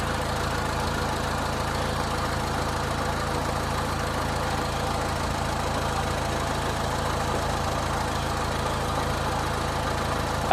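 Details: 2000 Honda Civic 1.6L SOHC after replacing the whole distributor (old cap cracked, moisture inside), during water test: steady, even idle with no stumble or misfire over ten seconds; fixed.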